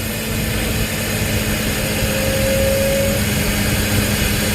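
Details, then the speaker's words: 2006 BMW X5 straight-six after the failed fan clutch, whose oil had all gone, was replaced: steady rush of air over a smooth idle with constant hum, no wobble or rattle; fan spins much faster and moves far more air, even on low. "oh yeah it's a lot of air even on low before it was not even this much air had is no good spinning way faster"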